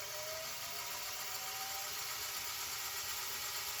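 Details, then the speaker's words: JVC HR-J3009UM VHS VCR, reported as not working; plays and fast-forwards fine, but a thin steady whir with a faint rising tone appears only in rewind, then it detects and slows down; transport noise, source not pinned down. "I stand corrected. It only does it in rewind? Huh. Yeah, because see there, it just detected the difference, and now it'll slow down."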